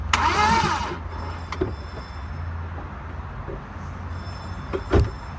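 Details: Car won't start: about a second of starter cranking, then it stops and falls quiet with a few clicks; the engine never catches, crank no start.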